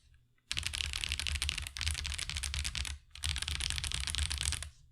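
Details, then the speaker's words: Marvo KG972W gasket-mount mechanical keyboard with stock tactile switches: fast typing with a bright, sharp, high-pitched tick on every keypress over a soft thock; switches cause the ticking. "Overall, it does sound a bit high-pitched and ticking. I'm pretty sure that's because of the switches that are causing the ticking that you hear that makes that really high-pitched sound,"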